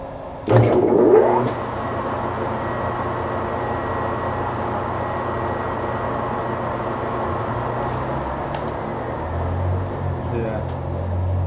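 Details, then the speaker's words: Webb Whacheon lathe on a phase converter in high gear, fastest 200 rpm setting, less starting load: brief surge at switch-on, then a smooth even low hum with no knocks or rattles; starts and runs healthy. "have less starting load when you do that that started up real nice and sounded really good"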